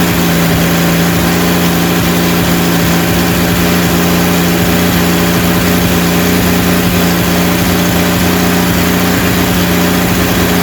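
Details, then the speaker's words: Freshly rebuilt 230 six-cylinder cam break-in at about 2000 rpm, timing about 10° advance, 40 psi oil, 180° temp, no smoke; steady strong fast idle, no lifter tick or knock; normal run during cam break-in. "all right we we're breaking in the cam right now it's running really good sounds good no ticking"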